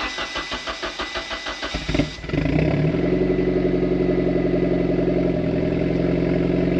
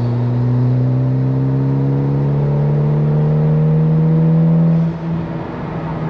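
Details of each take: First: Mitsubishi Evo X, breaking up under full boost and misfiring since spark plug change, plugs regapped, engine not yet fully warm, at idle: uneven, lumpy idle with irregular stumbles, same amount of misfire as before. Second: Mitsubishi Evo X with a misfire under high boost, after spark plugs were re-gapped, during a prolonged half-boost pull at about 13–18 psi: note climbs smoothly and evenly with no stumbles or popping. Runs normally at half boost; the misfire returns at full throttle.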